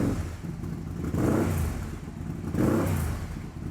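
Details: 2008 BRP Can-Am Spyder twin-cylinder, complaint of shaking and misfiring, poor intake pressure readings, low battery voltage, strong fuel smell: revved twice with lumpy uneven pulses and stumbling idle; misfire, suspected mixture problem.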